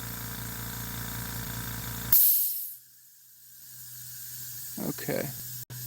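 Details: Water well system pressure tank: a sharp, steady hiss for about two seconds that cuts off abruptly at the tank's air valve while air is injected; unsure whether air is going in or leaking out, and the pressure gauge dropped.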